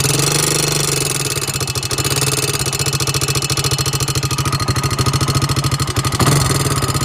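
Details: 2002 Honda 300EX single-cylinder quad at idle: a sharp, loud tick on every firing pulse, about three or four a second, louder on the right side of the engine than the left; source not found.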